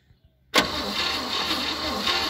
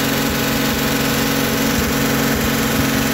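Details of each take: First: 1957 Chevrolet 210 being started for the first time since 1991, with carb cleaner sprayed into the carburetor. The starter spins the engine with a fast, even churn, but it cranks without firing. Cranks but no start. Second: 1957 Chevrolet 210, revived after sitting since 1991, idling on a makeshift gravity-fed fuel hose into the carburetor. Steady, even low rumble with no knocks, stumbles or hunting. Normal idle.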